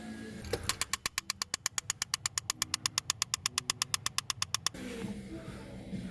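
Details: 2010 Mazda 3 dash air door actuator: sharp, even clicks at almost three per second behind the dash, then silence; failing blend door actuator skipping its gears, fixed by replacing it with a Dorman 604-811 part.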